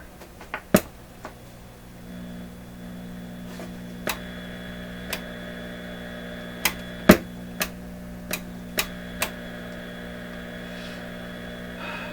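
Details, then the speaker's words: PYE 39HC shortwave receiver on a shortwave band: steady low hum with scattered sharp clicks and what sounds like a shortwave station behind the hum. Hum source not pinned down. "here it's just a weird weird wave shape but I hear something that sounds like short wave behind the hump"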